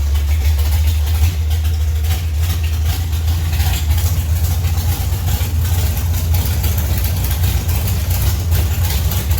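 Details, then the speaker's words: Deep, loud, steady lopey idle of a 71 Duster's 528 big-block Mopar on alcohol, powerglide, with new valve springs, first start after sitting 3 years; no knocks or ticks, sounds healthy. "yeah if you've never sat in a car it runs on alcohol with the doors off in a garage Jesus yeah he just ran outside no no if you see if you want sticking around for that sounds good runs good"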